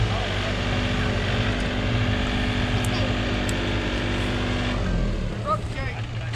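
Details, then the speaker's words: Chevrolet S10 that had sat unmoved for a while, started at the shop: uneven loping idle with a stumble every few strokes as one cylinder drops out; misfire, said to run on five cylinders. "seen it it runs on five cylinders"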